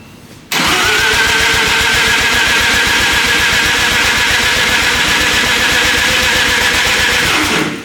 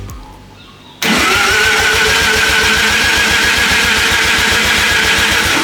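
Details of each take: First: 13b turbo rotary engine in a replica Lamborghini build, first start with ignition timing set by guesswork: seven seconds of steady, fast cranking with an even chuffing rhythm and no firing; they think the timing is a little off. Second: Mazda 13B turbo rotary in a kit-car drift build, first start attempt, turbo oil return not yet plumbed into the sump, timing not set with a light: quick, even cranking with steady compression pulses. Sounds healthy.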